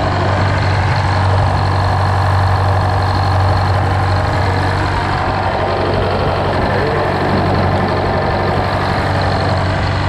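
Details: GM 4-71 supercharged two-stroke diesel, about 160 HP, roughly 50-60 years old, driving a Frick sawmill, idling just after a secondary fuel filter change. Loud, steady drone with an even beat and blower whine on top, no miss or knock; running healthy.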